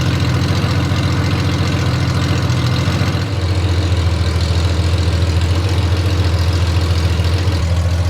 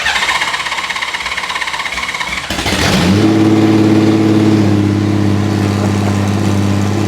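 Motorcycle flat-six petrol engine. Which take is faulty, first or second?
first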